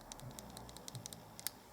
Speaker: when it's on the instrument you push down the lever this is going to go back and forth and there's a lot of slop there it's going to make some noise so i'm going to tighten this up and it will quiet down all the noise